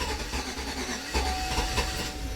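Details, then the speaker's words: 2007 Chevy Tahoe 5.3 V8, 310,000 miles, P0300 after parts replaced: rough uneven running with irregular stumbles and knocks, near stalling; engine misfire on cylinders 7 and 5. "so unfortunately our misfire has what in the world why is it still doing that so unfortunately our misfire has moved to five"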